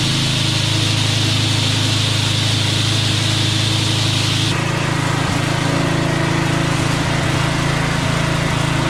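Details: Craftsman walk-behind string trimmer small engine, after repair: high, steady buzz holding speed evenly with a small drop midway; runs clean and smooth, normal running.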